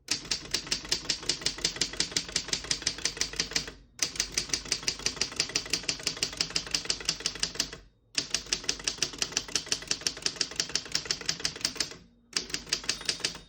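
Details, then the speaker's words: 1934 Underwood No. 6 desktop typewriter: quick, even keystrokes near three per second in bursts, margin bell at end of line, carriage return with single line spacing; all functions working normally. "Once you hear the bell, you're at the end of the margin. You hit the slide space, skips it back to the beginning and skips 1, 2, or 3."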